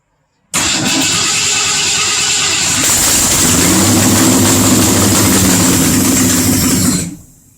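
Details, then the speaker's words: Unknown 302 V8 in a 1962 Mercury Comet, first start in years, points distributor with timing set, gas poured into the carburetor, carb not yet bolted down: brief crank, clean catch, steady strong idle, then shut off. "bingo she runs holy oh crap well i got a running engine"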